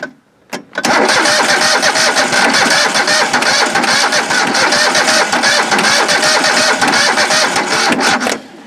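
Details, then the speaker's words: Old John Deere 185 mower, sat two years, weak battery: starter churns steadily about seven seconds with a rapid even rhythm but never catches, a crank no-start; possible connection issue, and the choke was found gummy. "sounds like we got maybe a connection issue just like that huh"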